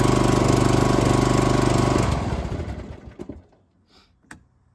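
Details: John Deere Z225A mower, 520 hours, after no-start/stop ignition repair, started on choke; fires with quick even chug for two seconds then shuts down cleanly; starting and running normally.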